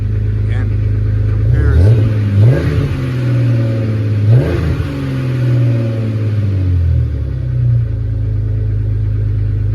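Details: 2004 Jeep Grand Cherokee 4.0 inline-six with THOR cold air intake, startup after a new Flowmaster muffler and tailpipe replaced the rusted-off tailpipe: deep, loud rumble with sharp, clean rev blips, no misses or knocks; normal exhaust note.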